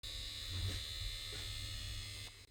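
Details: Underfloor heating circulation pump: steady electric buzz with an even high whine before cutting off; pump noise suspected from sludge, debris or a damaged impeller, fixed by replacing the pump.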